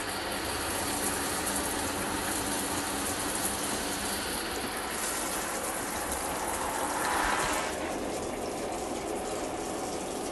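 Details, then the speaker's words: 2020 Jayco Eagle HT 29.5 BHDS RV, hot water line after fixing low hot water pressure that had dropped to a drizzle: strong, steady rushing flow with only small surges and no sputtering; normal water flow, far more pressure than before. "already has a lot more pressure than it did. It was actually to a drizzle to the point where water wasn't even coming out anymore."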